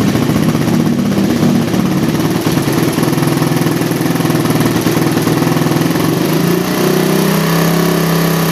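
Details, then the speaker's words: Single-cylinder motorcycle with a PE28 carburetor rejetted (pilot and main jets only), air screw not yet set, standard exhaust with baffle partly opened: revs up and settles back cleanly, steady pulsing exhaust note with no misses; normal revving. "Ini belum saya setel angin sekalian mau setel angin sekalian kita geber-geber sedikit Seperti apa suaranya di sini saya pakai knalpot pipa laundry standar obok-obok ya"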